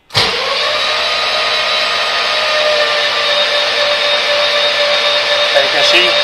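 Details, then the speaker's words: Mercedes W201 V12 swap on a VEMS ECU, oil pressure test before first start, throttle held fully open, injectors unpowered: steady starter whine with an even beat about four per second, engine spins freely without firing; normal cranking. "so we can crank over the engine just show you that overall pressure here's my oil pressure gauge suppose it's all fully open just to give them less assistance"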